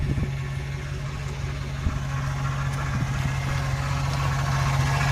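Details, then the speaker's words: 2009 Chevy Silverado idling: steady, unwavering whine over the engine, first blamed on the power steering pump, but bleeding and testing didn't cure it; worn idler pulley bearing. "this is it right here if you all notice I hope you can hear that you hear that whining down and it was trying to play me for being the power steering pump"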